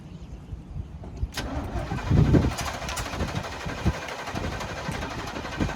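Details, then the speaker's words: Sports Coach RV with a 454 big block and Turbo 475 that sat 12 years: a long crank, then it catches and runs rough and uneven. It is flooded, with the choke butterfly stuck fully closed. "This thing's not been that hard to start. Go ahead and crank it. Hang on. Uh, I bet it's flooded."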